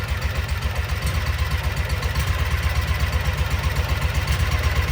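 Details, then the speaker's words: 2012 Kawasaki Mule 4010, liquid-cooled EFI V-twin, down on power: lumpy, chugging idle, about four heavy pulses a second; sprayed water evaporated on the rear cylinder, confirming it is not firing, traced to a broken spark plug. "Anyway, spray water on that cylinder, it evaporates immediately. So, I know without a shadow of a doubt that the rear cylinder is not firing."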